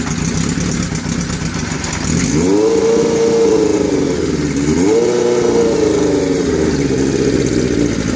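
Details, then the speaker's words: 1981 Kawasaki GPz550 four-cylinder, first start after frame-off restoration and engine teardown, not run since 1994: cranks, catches, revs and settles into a fairly steady raised idle (idle screw turned up); runs evenly, owner thinks carbs may need syncing. "I had to turn up the idol so I didn't have to bother playing with the throttle but you can kind of hear it's kind of idling pretty good considering it as I'm running a hell of a long time"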